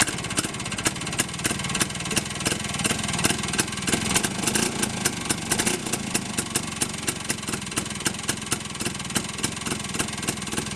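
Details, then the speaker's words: Small engine idling with a quick, even popping beat while running in reverse rotation after the reversing solenoid is switched. "and that is the engine running in the opposite direction or the reverse direction"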